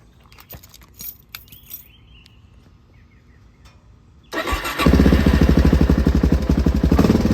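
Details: Suzuki DRZ400SM single-cylinder just after an oil change with 10W40 full synthetic: quiet handling, then it catches at once and settles into a regular thumping idle of about four beats a second, smooth and steady.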